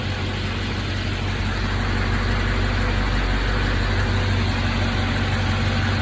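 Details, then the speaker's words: 1971 Chevy C10 with a Duramax diesel swap, first start after rewiring and fixing misplaced grounds, with a broken injector return line T: steady, even low diesel rumble at idle, no misses or knocks; smoking heavily, leaking transmission fluid. "Yeah, she sounds good. Smoking like a dick."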